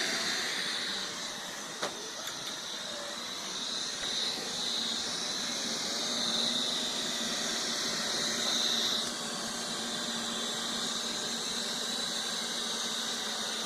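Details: Neato robot vacuum after being returned from repair: hissy suction with a thin high whine and a quick scraping rhythm several times a second, a grinding noise of unknown cause.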